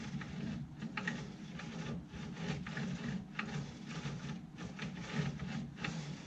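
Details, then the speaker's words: Markforged X7 3D printer with its carriage pushed back and forth by hand: a dry, gritty rasp with occasional clicks. A bad rear pulley bearing is suspected, possibly the whole assembly, which is not confirmed. "It feels terrible as it's going back and forth. This one's nice and smooth right here. I'll hold this one and move it back and forth. I think you can even hear the clicks every now and then."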